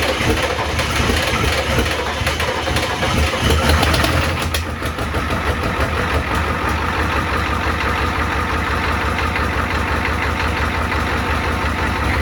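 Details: 1994 Ford F-250 IDI diesel first start after sitting years, no antifreeze: uneven clatter with sharp ticking puffs about three a second over idle; huge manifold leak, owner thinks one side's manifold cracked.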